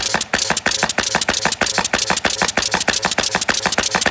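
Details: Simplex High Speed Lid Dropper (HSLD) after cycle valve adjustment to cure double stroking, triggered by an air switch. Crisp, regular strokes come about three a second with no doubled hits, so it cycles cleanly at one stroke per trigger.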